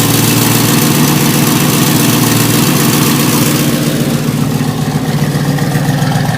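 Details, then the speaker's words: Ford F100 XLT with 351 Cleveland V8, first run after rescue, idling on gas: loud lumpy idle with fast puffing tick on each firing pulse; horrid exhaust leak underneath, possibly another on the other side. "It's got a horrid exhaust leak down there. Rotten exhaust leak. Might even have another exhaust leak on this side, I think."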